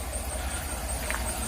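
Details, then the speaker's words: Chevrolet Tahoe at idle: a faint, steady, high-pitched squeaking squeal rides over the low engine idle, heard coming from an accessory pulley; the owner points to that pulley, cause not confirmed. "all right guys Tahoe started and as y'all can hear that squeaking SL squealing noise that y'all hear right there you can hear it come from this pulley right here a little bit"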